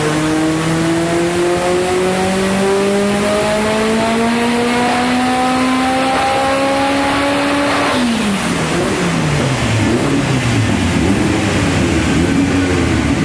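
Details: Scoff R5 GT dyno pull at 963hp on C85 fuel, 3.3 bar boost, GTX 4202 turbo: steady rising full-load roar breaks into stumbling uneven note around eight seconds; misfire under boost.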